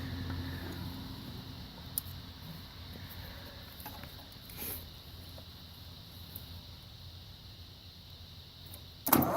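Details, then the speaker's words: Ford tractor with a bad starter solenoid, bypassed with a jumper cable to the starter: after a quiet stretch the starter cranks briefly and the engine catches, settling into a steady rumble; normal cranking and start. "So by bypassing the solenoid, no problem,"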